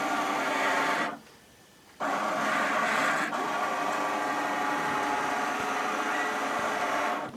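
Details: OmniBot 2000 drive motors, in low gear: steady small-motor whir that pauses briefly then resumes evenly, with no grinding or stalling; drive runs normally.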